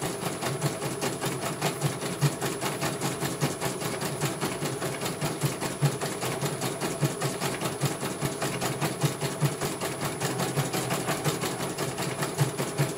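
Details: CNY computer embroidery machine from Banjarnegara, Central Java, test-stitching after service (dynamo motor earlier wouldn't spin at all): steady, even needle clatter about two and a half strokes per second, no grinding or motor howl; one colour finished cleanly, normal stitching.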